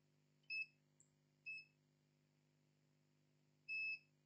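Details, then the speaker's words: Lenovo IdeaPad 320-15ISK laptop motherboard with no power, on the bench: multimeter beeps at the second MOSFET output and current sensor, reading zero ohms to ground, so the main 19 V power line is shorted to ground. "it's beeping to ground you can hear the beep 0 on the current sensor here have a current sensor here is biing with ground that mean the main 19 Vol power line is to ground"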